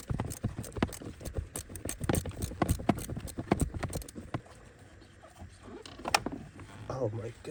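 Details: 2014 Ford Fiesta, quick uneven run of sharp clicks behind the dash then quieter, from a faulty blend door actuator, fixed by replacing the actuator.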